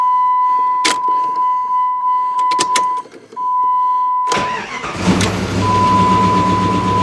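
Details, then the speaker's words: 1998 Jeep Grand Cherokee police-auction vehicle after fuel tank replacement: chime, short crank, then catches and settles into even idle with no motor clatter, oil pressure good and charging; normal start and idle. "so it's running under its own power on its own fuel well that's a serious bonus i don't hear the motor clattering that's also a bonus"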